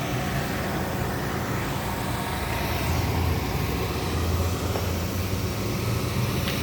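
Even, steady low idle with no stumble or miss, just a smooth constant hum; engine running healthy.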